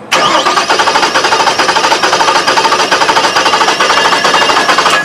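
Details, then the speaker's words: Engine cranking with engine disabled from starting: starter at about two beats per second with a limping, uneven rhythm as one cylinder has no compression. "Here's what it sounds like. Good compression. Here's what it sounds like with a single cylinder with no compression."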